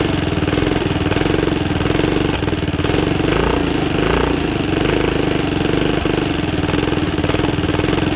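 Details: 2006 Zhejiang Kangdi 250cc kart with a big-bore cylinder, first run after teardown and rebuild: a steady, quick popping single-cylinder idle with an even exhaust note and no knocks or misses. Running healthy; it was shut off soon after for cooling.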